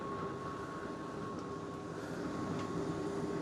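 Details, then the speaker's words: Fisher & Paykel DE8060P2 condenser dryer (bought not spinning), after troubleshooting and repair, first power-on test empty: steady even hum with constant mid tone, no knocks or scraping, drum turning freely and sounding perfect; normal drum rotation. "let's hit the play oh excellent that sounds perfect doesn't get much better sounding than that"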